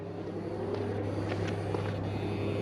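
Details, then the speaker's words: Parked Jeep Wrangler outdoors: a steady low single-pitch buzz from something electrical, source not found. The battery was then assumed and confirmed dead. "can you hear the buzzing i hear the buzzing what is the buzzing"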